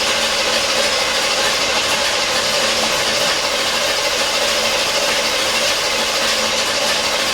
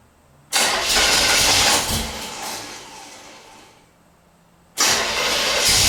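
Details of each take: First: 1977 Corvette not started in over 6 years, cranking with distributor disconnected to pump new oil: steady starter whir, even rhythm, no catches or knocks; turns over healthily with decent-sounding compression, not firing. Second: 1977 Corvette unstarted for over 6 years: starter grinds in two long bursts with a small backfire pop but never catches and runs; crank, no start.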